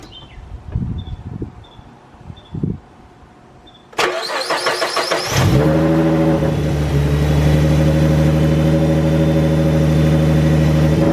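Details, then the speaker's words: 3.7 V6 Mustang with GT500 M122 supercharger, just after installing a new throttle body with cold air intake: starter cranks, engine catches and settles into a slightly lumpy, uneven idle. "well it's on something sounds a little weird interesting i'm gonna let it warm up"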